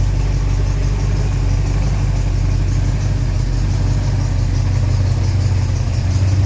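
Smooth, steady low idle with no chirp or squeal from the belt, just an even engine hum throughout.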